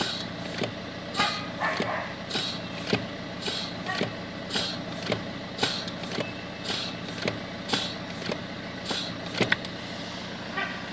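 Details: Fiat Grande Punto brake pedal: an airy hiss that surges about once a second as the pedal is worked, over a quiet background. Brake pedal hiss, cause unknown.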